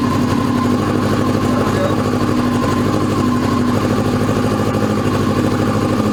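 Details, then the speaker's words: 2002 Yamaha YZF R6 sitting 6 years, first start on fresh gas via an electric fuel pump: catches and runs lumpy with uneven firing, as if missing a cylinder. Fuel leak; owner suspected a sticking float, then found a loose carb drain screw. "Rushed it. Got a fuel leak. Now I cut it off. I think we got a float sticking."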